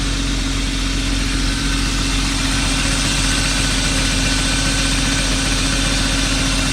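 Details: BMW E36 323i with M52B25 single-VANOS petrol straight-six, after camshaft position sensor replacement; battery reconnected, ECU relearning. Steady, even idle with a smooth low hum, no misses or stumbles; running much better, normal idle.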